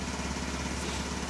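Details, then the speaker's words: 1983 Buick Park Avenue: steady idle with quick even ticka-ticka ticking; owner suspects leaky exhaust crossover pipe, probably a donut gasket somewhere; fan belts stretched. "but you can hear that ticka ticka ticka it's a leaky crossover probably about donut somewhere"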